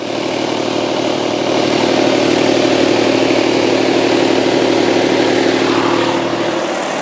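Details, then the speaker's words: 2003 Saturn Ion 1, 205,347 miles, no check engine lights: steady even idle with smooth low hum, no knocks, misses or ticking. Normal idle. "But you can also notice there are none of those annoying check engine lights on. This car actually runs really, really well."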